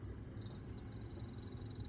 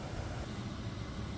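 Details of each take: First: Sprinter van HVAC blower motor: thin high squeal wavering on and off above soft fan rush; owner says it gets much worse and means the motor is near end of life. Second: Sprinter van, replacement blower motor bench-tested before install (old one screeched). Smooth even fan rush and hum, no squeaks. Normal blower motor running.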